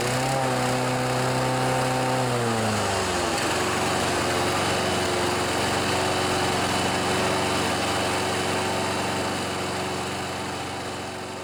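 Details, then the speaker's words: John Deere 14PB mower, Kawasaki 5.0 hp OHV, after carburetor clean, blades disengaged: high even buzz drops into lower hunting drone rising and falling about four times a second; smoothed under blade load, carb confirmed working. "so some of you might think because of that surging sound that the carburetor isn't working properly"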